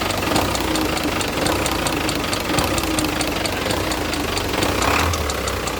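>Steady idle with a fast, even light tapping riding on top; sounds like a valvetrain knock, though the exact part isn't certain. Cause suspected, not confirmed.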